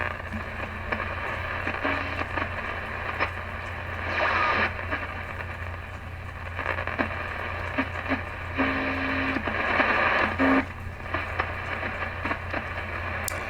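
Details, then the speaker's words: 1934 Westinghouse Model WR-24 radio during restoration, on shortwave tuning for the 10 MHz clock station: steady hiss and crackle over low hum, no clear station; poor reception on all three shortwave bands, coils not tunable; cause suspected, not confirmed. "as you can see the reception still sucks I think this is just the story of this radio there's no way to tune those coils"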